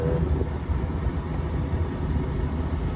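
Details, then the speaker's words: Old V8 cranked up after a switch was connected and the belt refitted, AC blowing: steady low rumble, even unbroken beat, no knocks or misses; normal running, as it's supposed to be. "yeah that's how it's supposed to be"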